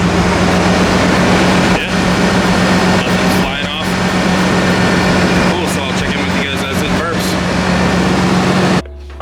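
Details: 1996 Chevrolet Blazer with loud open exhaust, idling after new alternator and thermostat install that fixed a rattle: steady, even drone with no clicking or rattle on top; engine sounds healthy, normal idle.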